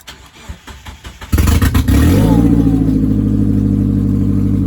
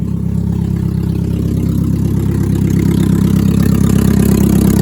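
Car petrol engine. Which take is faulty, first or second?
second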